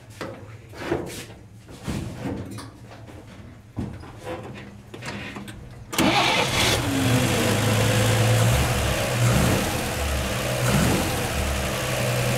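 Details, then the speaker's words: 1949 Chevy 3100 starting after swapping its Pertronix Flamethrower distributor advance springs to high-range copper for earlier mechanical advance; about six seconds of uneven cranking, then catches and holds a steady, slightly fast idle with no misses, seeming to start easier than before. "first impression seemed like it started easier that's one good thing"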